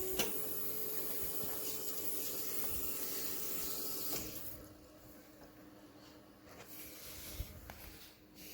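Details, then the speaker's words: Mahindra Roxor, fuel filter just replaced, priming the system and checking for leaks: a faint, steady electric whir for about four seconds, then stops; fuel pump primes and shuts off normally. "Now we're going to see if there's any fuel leak. Prime the system."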